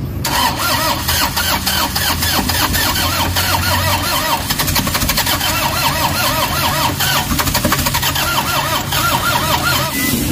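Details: Toyota HiAce cranks at a steady beat for about ten seconds but never starts; fault codes P0087 (low fuel rail pressure), P0107 and P0400.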